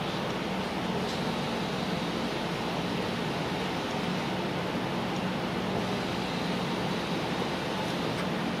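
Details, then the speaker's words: BMW E46 fuel pump activated manually with a diagnostic tool, ignition on, heard from under the car: steady, even whirring hum with soft rush of fuel returning to the tank; pump working normally. "you can definitely hear the pump working you can hear the gas circulating because it comes back in the tank if it's too much it circulates it so you can definitely hear that it's working"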